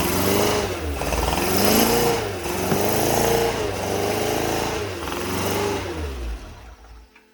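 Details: Porsche 914 newly built 2056 cc engine, performance cam, dual throttle body MegaSquirt EFI, first start on test stand: surges and sags, revs hunting, then dies; lean stall because fuel was not set up correctly in the software.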